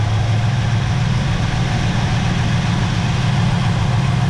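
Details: 1966 Pontiac Grand Prix 389 V8, automatic, barn find back running after decades and carburetor idle mixture adjustment: deep, steady, even idle burble with no misses; normal.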